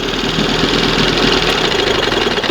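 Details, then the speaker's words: 1971 Johnson 20 hp outboard, not yet warmed up, shifted into gear: busy uneven running then pulsing and faltering under load until it stalls; cold engine stalls in gear, history of hard starting. "It's not warmed up, but let's try to put it in gear anyway."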